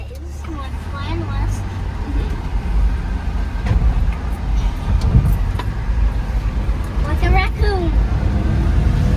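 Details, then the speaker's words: Suzuki Carry kei truck that had broken down on the highway, driving after tightening the loose negative battery cable, AC on: steady low engine and road rumble under load with no misses, stumbles or knocks; normal running. "So you guys just saw from the little clip that I showed of it driving with the AC on and everything, it drove perfect."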